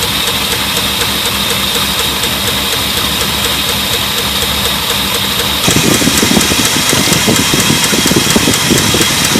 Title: Lifter tick and spinning pushrod